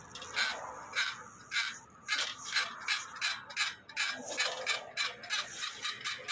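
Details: Electric bicycle hub motor wheel from a customer, reported as wobbly and very loud, spun on the bench: rhythmic scraping rasp about twice a second; noisy hub motor, cause not yet found.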